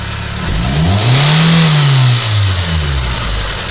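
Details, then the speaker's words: Mitsubishi 4G93 engine: smooth at idle, but on revving a sharp, fast metallic ticking rises with engine speed; lifters, valves, injectors and compression are reportedly ruled out, source unknown. "She idles nice, but once you give her gas, she's just relentless. Just ticking out of nowhere."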